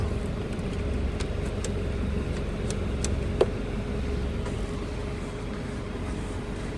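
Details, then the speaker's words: Trane communicating system, no-cool call with ERR126.00 code and tripped outdoor breaker: compressor 1 hums steadily without starting, locked up, likely what tripped the breaker; cracked hard start kit present, compressor 2 works. "Looks like compressor 1 is dead. Oh, you hear it? It's trying. That's probably what tripped the breaker. So it's locked up."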